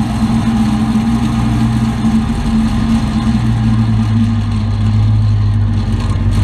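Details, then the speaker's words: 2003 Chevy Avalanche: steady low whirring hum under the running engine, holding even; owner suspects a transfer case bearing or the auto high-low shift motor, not confirmed. "did a little research making that it's a bearing within the transfer case it's got that weird grinding noise"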